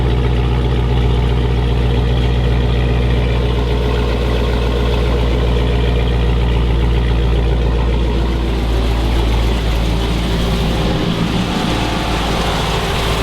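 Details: 2006 Chrysler 300 SRT8 6.1 Hemi, first startup after installing a stage 2 cam, valve springs and retainers (intake and exhaust already fitted): deep, loping idle with a slightly uneven beat, steady and strong down low; a healthy lumpy cam idle.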